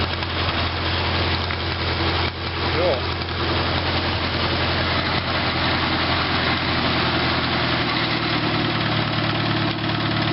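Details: 1948 Farmall Cub tractor cold start, no choke, a little throttle, lever starter: steady, even low idle with a regular beat and no knocks or misses; caught cold and settled into a healthy idle.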